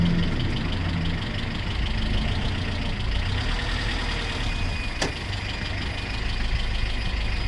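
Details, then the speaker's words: 1997 Honda CR-V started with the emergency brake off: rough, uneven grinding over the idling engine from a worn intermediate half shaft bearing between the front left wheel and the transmission output shaft. "but i'll let you hear how it sounds why we're going to be replacing it okay you're hearing that grinding sound it's not supposed to sound like that"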